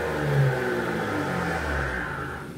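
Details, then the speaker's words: Car with Nismo exhaust and freshly installed AMS downpipes, first start after install: raspy rev rising and falling with clear turbo whoosh over throaty exhaust, tone slightly more raspy; crisp, even, normal exhaust note. "Wow, you can hear the turbos a lot more. Oh my god. Oh my god. It changes the tone a little bit, yeah, for sure. I think it's like it's a little more raspy, you know?"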